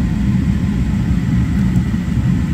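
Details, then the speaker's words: Gas furnace that was blowing cold air, after resetting the limit switch (L160, 160°F) and pressing the door switch: steady even roar of burners and blower, no clicking or cycling; gas firing, switch needed resetting or replacing. "so now you can hear the furnace and the gas is working so that's going to tell us that that switch either needed resetting or needs replacing"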